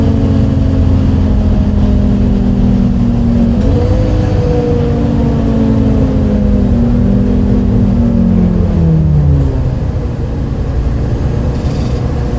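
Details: Recorded 07-03-2022 aboard 2008 MAN Lion's City A37 bus 3477 (MAN D0836 LOH 63 diesel, ZF Ecomat 6HP automatic) on line 8 Eindhoven. An unusually odd diesel drone under load, with the tone jumping at a kickdown then falling away; cause unknown.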